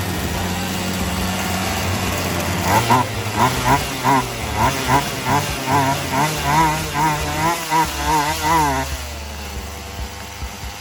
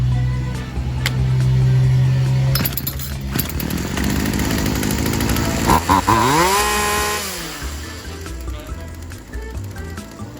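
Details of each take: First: Poulan Wild Thing 2375 chainsaw after replacing gas lines and primer bulb, first run with the throttle raised: revs surge and sag about twice a second and it runs hot. Carb high/low mixture still needs adjusting. Bogging, carburetor mixture. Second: Poulan Wild Thing 2375 chainsaw after new gas lines and primer bulb and carb adjustment that balanced the air and fuel mixture: revs up cleanly, holds, then drops back to an even idle without bogging. Normal running.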